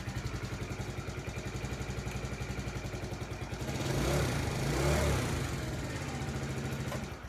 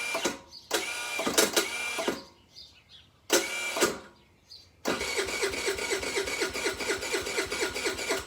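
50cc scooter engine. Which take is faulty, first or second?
second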